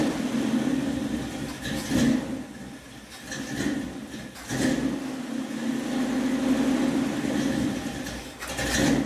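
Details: 1976 Dodge Dart V8 with rebuilt Edelbrock carburetor, warming up, idle mixture screws just adjusted: lumpy, loping idle swelling and dipping every couple of seconds; normal, from a mild cam.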